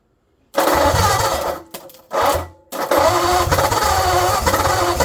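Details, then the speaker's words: 1948 Ford Flathead on engine stand, carburetor leaking, choke half open: catches, stumbles and dies twice, then fires again and runs ragged and uneven. "Yeah, that means it's almost running."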